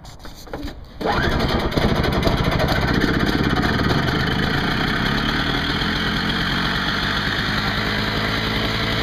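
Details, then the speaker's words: Craftsman 5 hp 21-inch two-stroke snowblower after repair, primed, full choke, 20:1 fuel mix: catches after a second and settles into a steady, even run with no misfire, knock or hunting, and no fuel leaks. "sounds good no leaks i think we have a winner"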